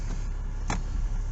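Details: Kia diesel started an hour after the last run, after glow plug light off, despite an air leak at a corroded metal fuel line connector; cranks slightly longer than normal, then low steady rumble settling to even idle.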